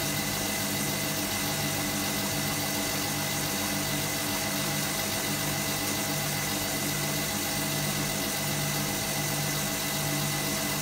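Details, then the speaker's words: Hotpoint Supermatic De Luxe 9414 twin tub, new belts fitted: steady, even motor hum with a smooth drive, pitch rising as the spin speeds up, no slapping, squeal or grinding; the spin motor and belts run healthy. "you'll hear the pitch change as it speeds up"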